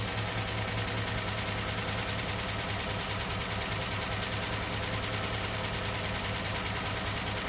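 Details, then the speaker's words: Rebuilt 0.030-over 305 Chevy V8 in an IROC-Z Camaro, about 3–3.5 hours and 23 road miles after cam break-in, at rough idle: fast ticking clatter, excessive valvetrain noise increasing; Comp Cams cam with apparently worn or flat lobes, loose rockers, cracked block leaking coolant into oil. "while i was running these back pressure checks it just became evident that the valve train noise was excessive"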